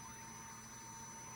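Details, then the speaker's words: 1994 Impala SS after fuel pump relay rewiring, relay triggered with 12 V, engine off: steady even electric hum with thin high whine; fuel pump running normally. "There she blows, she's coming on."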